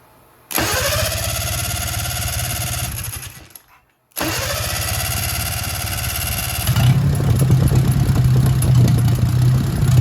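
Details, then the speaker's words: 1957 Hercules Power flathead four-cylinder with magneto: catches, runs evenly, then fades and dies, rougher after restart; owner thinks carburetor flooded a little, then finds it out of gas; stalling from fuel starvation. "Yeah, I believe that carburetor's flooded up a little bit. Oh, I'm running out of gas. I'm out of gas. That's the problem."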